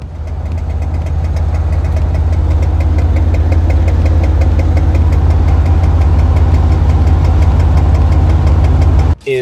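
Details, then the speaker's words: Van engine with earlier knock: loud, deep engine drone with a fast ticking knock, about three per second; the knock returned soon after an exhaust leak was fixed near Vegas, cause unknown. "i ended up fixing that right outside of vegas and almost immediately the engine knock came back and it had been a very long time i mean well over a year"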